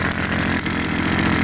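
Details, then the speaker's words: 80cc YD100 two-stroke motorized bicycle engine running: a steady buzz with sharp, high chirps a few times a second, heard coming from the top of the engine. The owner suspects air leaking past the head gasket and plans a homemade copper gasket. "so can you hear the chirping i know you can't feel it that's usually the sound of air leaking past the head gasket at least in my"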